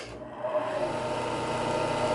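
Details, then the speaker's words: Lathe converted into a large sanding disk, after a loose bracket screw on the disc was tightened: the motor starts and settles into a steady, even hum with very little vibration. "there's very little vibration compared to what it was before"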